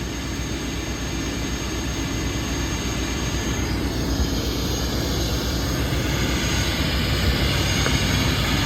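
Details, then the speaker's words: Mack MP8 diesel with turbo and straight pipe, just after its first start following a long repair: deep, steady rumble with an even beat and a rising airy roar; pulls cleanly without misses or knocks. "this thing sounds really good actually right listen to that"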